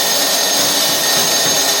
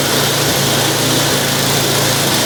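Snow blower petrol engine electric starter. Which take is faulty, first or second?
first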